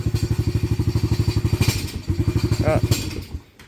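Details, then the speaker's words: Venom 125 quad single-cylinder, just started, old black oil, banging and missing before; plug checked: fast thumping beat stumbles, skips a few beats, recovers, then dies away, misfiring. Owner suspects the carburetor or a plugged fuel pump filter, or that it needs to warm up. "okay so there's something more to it than just a spark plug carburetor maybe again or the fuel pump filter may be"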